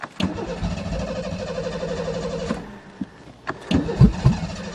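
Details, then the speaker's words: Ford Taurus convertible cold start in deep snow, fuel pump not heard: starter cranks steadily while the engine coughs and stumbles in brief bursts; hard cold start. "don't hear the fuel pump doesn't say we have much oh she's farting"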